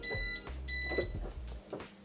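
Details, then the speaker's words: 2004 Mercedes-Benz S-Class W220 door after installing a new door lock assembly with soft-close: two short high beeps with soft actuator thunks as the doors lock; central locking and soft close working normally. "that works unlock boom cool that works soft close works"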